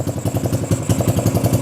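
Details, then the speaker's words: XR150 clone single-cylinder motorcycle, first start with the battery briefly charged: starts right up and settles into a steady, even thumping idle at about eight firings a second with no misses. Runs cleanly; carb issue confirmed. "Wow, that started right up. So clearly a carb issue. Now let's see. Oh yeah, that seems to run really well."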